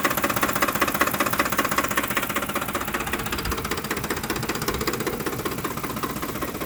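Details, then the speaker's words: 2007 Ford F-150 5.4L V8 4x2 automatic, 119k miles, rough idle after deceleration: uneven idle with a rapid, steady metallic knocking, louder on one side near the fan; cause suspected, not confirmed. "To me, it kind of sounds like it's coming from, down in there. It's louder on this side. It's like it's coming from where the fan is."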